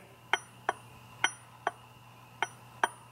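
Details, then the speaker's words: New Holland mower conditioner bevel gearbox, rebuilt with reinforced lower pinion bearing support, turned by hand without oil: six light, sharp ticks, just slight normal gear backlash, nothing rough or grinding. "You got just a, you can hear that tick, it's just very little bit of backlash."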